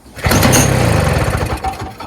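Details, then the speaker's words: Early-2000s Toro Snow Commander 7 hp R-Tek 24-inch single-stage two-stroke snowblower with an aftermarket carburetor: spark confirmed, tilted forward to get fuel to the intake. It catches briefly on the pull, sputters for a second or two and fades out; it won't stay running, fuel starvation. "let's tilt this forward a little bit just to see if we can get more gas more level into the intake manifold we'll try it"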